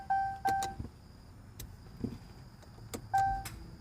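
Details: 2015 Dodge Charger 3.6L won't start after stop at store; new key fob battery didn't help: sharp clicks and repeated dash chimes as it seems to reset, engine never cranks.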